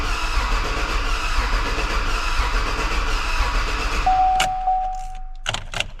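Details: 2016 Silverado rebuild, first start attempt with fuel lines recently apart, no coolant or serpentine belt: starter churns steadily with faint sputters, never catches; no fuel reaching engine.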